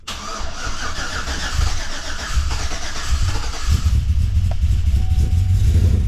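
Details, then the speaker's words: 2013 Chevrolet Silverado (GMT900) after 6.2 L V8 swap, freshly flashed tune, first start: cranks, catches quickly and settles into a deep, slightly choppy cammed idle; about 45 psi oil pressure at idle, no leaks, oil burning off headers. "We got oil pressure. It is good to go. Got about 45 lbs sitting here at idle. Look at that idle."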